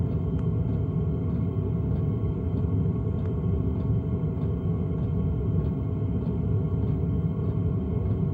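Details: Andre LF Bros N2 Pro drive under heavy 1.4 kW load: deep steady rumble with a sharp click roughly every 0.6 seconds; clunking under load, cause unclear.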